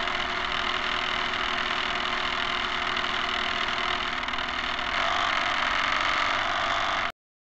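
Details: Camera barge first test run: a steady whirring electric drive with a rough, clattery edge that brightens near the end, very noisy; excess noise attributed to the dog-bone motor-shaft couplers, to be replaced with flexible hose couplers.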